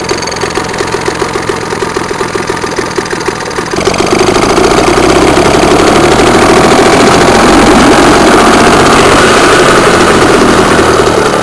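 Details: Circa-1965 British Seagull 40+ outboard, 2 hp, about 40cc water-cooled single-cylinder two-stroke on 10:1 fuel-oil mix, at first start in 5 years: quick, even buzz picking up around four seconds, then holding a steady, clean run.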